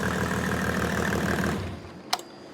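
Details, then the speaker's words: Mercedes OM606 diesel after injection pump calibration, warm at about 70°, steady even idle clatter before winding down; returns to idle without trouble after a misfire cleared, running cleanly. "so as you can see it comes back down to idle no problem and it it runs absolutely beautifully"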